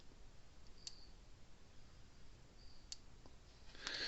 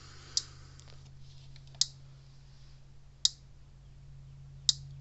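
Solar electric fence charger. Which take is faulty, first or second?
second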